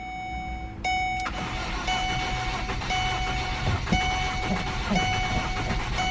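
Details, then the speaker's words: Ford Focus, long-sitting, oil and fluids checked: starter cranks steadily with faint catches but never runs; owner suspects long sitting makes starting hard. "see it's trying is trying real hard but no luck"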